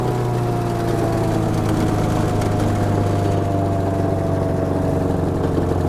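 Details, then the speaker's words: DR Chipper CP55047BMN with replacement Honda GX390 13HP single-cylinder engine, after water-damage seizure: steady even low drum settling to idle and continuing to idle, no knocks or misses; sounds good, normal idle. "So, I idled it down. I want to see the engine should just continue to idle. Everything's sounding good"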